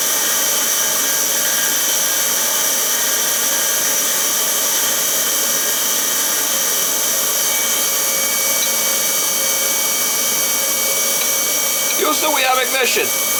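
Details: Oil burner in an unheated summer home after lubing the burner motor and reconnecting oil: constant high-pitched roar from fan and flame, steady with no surging; burner firing normally.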